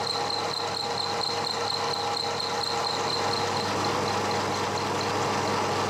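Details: One-inch slot drill cutting cast iron, slowed from about 500 RPM to 200 RPM: an even, steady cutting hum with a faint whistle and no stuttering or chatter; the cut runs clean.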